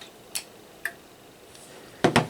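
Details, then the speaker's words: RM KL400 CB linear amplifier keyed in sideband mode: sharp relay clicks in and out, with the relay holding briefly before dropping out, a normal hang delay that stops the amp chattering on voice pauses. "That's to stop the amp chattering in and out while you're on sideband, because your voice on pauses would immediately drop the amplifier out, and on sideband it just gives you that little bit of delay, so it keeps the relay in."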